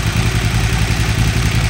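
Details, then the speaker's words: 2008 KTM 990 Adventure S, 6,500 miles, which dies when the throttle is chopped: after a 15-minute TuneECU reset adaptation, restarted without touching the throttle, it idles with a steady, even low thump and no misses or surging. Normal idle. "Okay, it idled just fine for 15 minutes."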